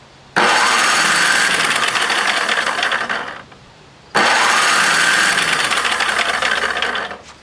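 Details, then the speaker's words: Tecumseh starter 33290E, its stuck rusty bendix cleaned with solvent and compressed air, tested with the spark plug removed so the engine won't start: two clean bursts of quick, even cranking, engaging firmly without grinding; normal starter engagement. "I took the spark plug out of this so that it'll turn over faster and it won't start so that we can just test it to see if it engages"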